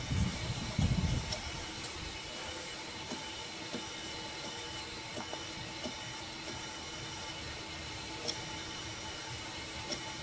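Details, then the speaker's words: 2006 Ford 6.0 Powerstroke with long crank cold and no start hot, IPR valve closed via scan tool and shop air on the oil rail: steady airy hiss of high-pressure oil system air leak at the HPOP fitting. "you don't hear the hissing over here you just hear like like air blowing through the engine which is exactly what it's doing guys over here get more of a hissing sound coming out of this one right"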